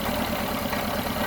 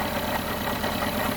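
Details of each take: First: 1974 Honda Civic (series 1, Mk1) running rough; the idle stays lumpy and uneven, and pulling the number 2 plug lead barely changes it, so that cylinder is dead and its spark plug is to be replaced first. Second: 1974 Honda Civic MK1 with a rough-running misfire, power balance test at idle: with this cylinder's spark lead pulled, the idle sags, stumbles and nearly dies. That shows this cylinder works strongly, unlike cylinder 2.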